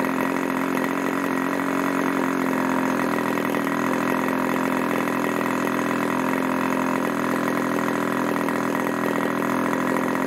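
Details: Irvine 40 MkII 1980s ABC Schnuerle glow engine, 10x6 prop, 7% nitro 20% oil (synthetic/castor) fuel; steady high-pitched buzz held evenly at speed, no surging or sag, after needles tuned from rich; about 12,300 rpm max; normal running.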